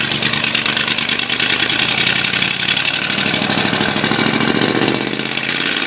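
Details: Ford 351W V8 with a spun rod bearing, abused: a rough, rattly idle with rapid metallic tapping riding the firing beat, a rod knock.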